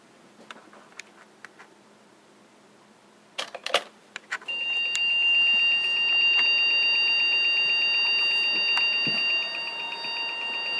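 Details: EVGA P55-SLI PC motherboard waking from sleep: a few clicks, then a steady high beep with fast ticking; the beeping has occurred on wake-up for about a year, and a separate ticking occurs at boot.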